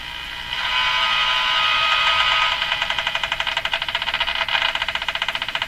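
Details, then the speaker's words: Canadian Westinghouse Model 577 radio after the low B+ fix: hiss with scratchy pulses of about three a second as the dial turns, with no station; it stops when the tuning capacitor is fully open, suggesting a scraping plate. "I think it's a plate scraping as soon as these this capacitor is opened all the way the sound disappears so that's when the plates dis disengage I think there's a uh a scraping plate here"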